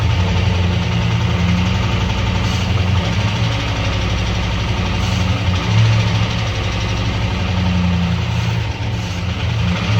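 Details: Five-window truck that sat about a year and a half, running rough on fuel fed into the intake with an irregular rhythmic knock, backfire through the intake and smoke. Owner suspects bad fuel or water in the fuel causing detonation, possibly a valve issue; unconfirmed.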